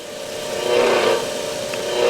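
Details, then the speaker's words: 8-inch variable-speed bench grinder (a second, older unit) runs fine on high at 3,600 rpm, but dialed down or on low speed gives a rough, wavering whir with rising and falling drone; still rotates but sounds horrible. "When you start dialing it down, it does that. I don't know if you can hear that flare. And then the same thing if you turn it on low speed, it does that."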